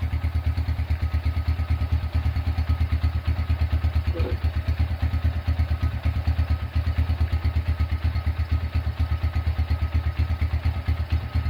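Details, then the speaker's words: Restored Honda Tiger single-cylinder engine, first start after rebuild with new starter dynamo cable: even steady low thumping about three beats a second, no knocks or misses; smooth healthy idle as hoped. "oke itu dia eh hasil suara atau hasil menyalakan suara mesin Honda Tiger dan sesuai harapan suara mesinnya halus"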